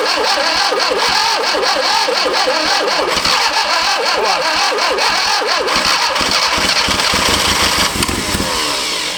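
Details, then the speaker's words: Barn-find 1971 Fiat Spider 850 four-cylinder, first start in about 30 years, number one spark plug missing and timing adjusted: ragged uneven running with lopsided chuff and rev surges; misfire from the dead cylinder and badly off timing. "I've gone ahead and mess with the timing a little bit here I still can't get this number one spark plug in for now but let's see it's having a difference I think that's pretty out of whack more than enough"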